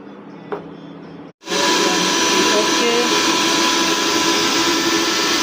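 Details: Mixer grinder after its faulty mains cord was replaced: after a quiet moment the motor snaps on to a steady high whine holding an even pitch; it runs normally.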